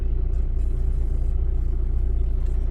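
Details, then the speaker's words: Audi A6 C6 TDI diesel idling after a crank-no-start fix: water found at the ECU location, relays replaced. Steady, even diesel clatter with a smooth low rumble and no misses; normal idle. "You can probably hear it's running. You can probably hear it running in the background."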